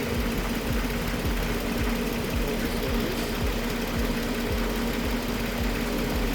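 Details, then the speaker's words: 2019 Audi Q7 3.0T (4M) idling after A/C compressor pulley replacement, A/C on, clutch engaged: smooth, whisper-quiet running with no grinding or marble-like noise that the faulty pulley caused. "Whisper quiet. That's how it should be."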